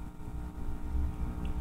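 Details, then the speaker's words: Rockford Fosgate micro amplifier after repair: steady low hum with buzzy edge through the speakers, caused by a failing signal cord. "and that hum is caused by this cord this cord is on its way out it's got some problems"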